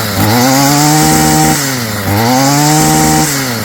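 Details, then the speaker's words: Stihl FS55 trimmer after a new carburetor kit install, on choke and without the air cleaner. Two throttle blips climb cleanly to a steady scream and return to a decent idle with no bogging: normal running. "Sounds good. Idling at a decent idle or RPM."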